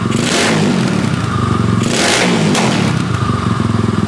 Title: Yamaha SX285 first start after rebuild